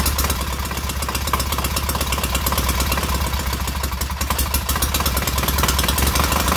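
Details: Freshly rebuilt K750 twin on first start-up, after a minor ignition fault stopped an earlier attempt: lively, slightly lumpy twin rhythm with light valve clatter but no misfire or knock, both cylinders heating equally; healthy normal idle.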